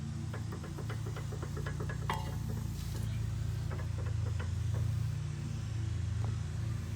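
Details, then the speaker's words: Volvo XC90 2.5L turbo, clunk on rough roads: quick, uneven metallic knocks as the very loose passenger-side sway bar end link (lower end) is rocked by hand with suspension hanging; link replaced and noise gone. "so yeah this is the sway bar end link and this is what's making the noise"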